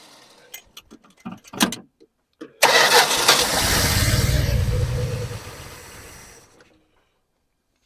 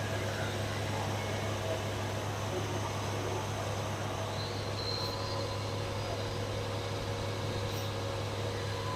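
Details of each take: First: 1974 Dodge Dart Swinger that has been sitting a while, fuel poured down the carb: a few clicks then about four seconds of cranking that slowly dies without catching; carb bowl drained, fuel must be drawn up from the tank. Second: 1974 Dodge Dart Swinger, just over 45,000 miles, just started after sitting: steady low hum, even unbroken running, no knocks or misses, idling smoothly. Normal idle.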